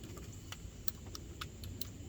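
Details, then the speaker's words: GMC Sierra/Chevy Silverado, key on after cleaning switches with contact spray: faint, uneven light clicks from passenger window motor over quiet low rumble while the window stays up; motor getting signal, possibly stiff from long disuse, cause unconfirmed. "i can hear it you know if you can hear the window motor clicking a little bit over there that's a good sign at least"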